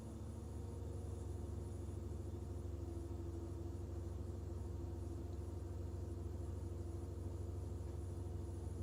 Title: Rough idle on BMW e46 ZHP